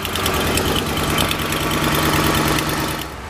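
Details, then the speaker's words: 2006 Ford Explorer 4.6L V8, cold start, noise on right/passenger side: quick, uneven tick about three a second over idle that fades after 15–20 seconds as it warms; exhaust manifold leak from warped manifold. "and as you saw there it only lasted maybe 15 20 seconds and now the engine sounds normal once again there's no no more ticking type noises coming from the engine"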